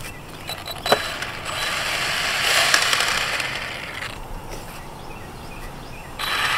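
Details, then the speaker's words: Arrma Typhon 3S RC car skate bashing, with metal gears except the plastic differentials. Rapid ratchety clicking about three times a second with gritty bursts under drive; a drive shaft or diff gear was suspected, and the rear diff failed. "sounds like plastic though all my gears are metal except for the differentials so if you're a drive shaft or a differential gear one of the other"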